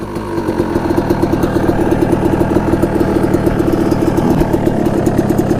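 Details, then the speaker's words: 1989 Honda CR250 two-stroke dirt bike, ridden on icy cold ground: it pulls with a rough, choppy note that doesn't clean up under load, bogging; owner suspects far too much oil in the dark-looking fuel mix for the plug to burn, and plans to drain the fuel. "I think there's just way too much oil in the mixture and that spark plug can't burn it fast enough so I think that's why it's kind of Boggy"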